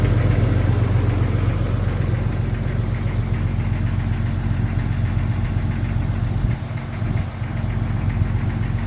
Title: 1999 Jeep Xj Cherokee Cold Start Piston Slap